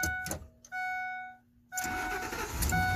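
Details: 2007 Ford F-350 Super Duty 5.4L V8 with no-crank/no-start fault, started in neutral: chime, then starter catches and V8 fires promptly into a steady run; normal start.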